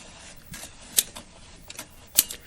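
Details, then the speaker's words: 1959 Silvertone Syntronic 4-speed record changer (Warwick): two sharp isolated clicks about a second apart, the indexing shutting the changer off after no more records; normal. "you hear the click that's the indexing telling it to shut off and there it is it's off"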